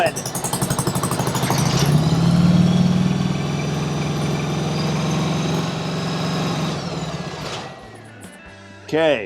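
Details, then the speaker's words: 1995 Harley-Davidson Sportster, first start after purchase with choke on: lumpy, uneven firing with gaps at fast idle, sounding like it runs on one cylinder; misfire, spark plugs to be checked, cause unconfirmed. "sounds like it's running on one cylinder that's not good"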